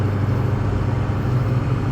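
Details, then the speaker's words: 6.0 truck cruising at 35 mph after repair of grinding and vibration under engine load, windows up; steady low road rumble in the cab, no grinding or scraping, driveline smooth and quiet. "We're doing 35 right now, and it's just, you can hear it smooth as can be."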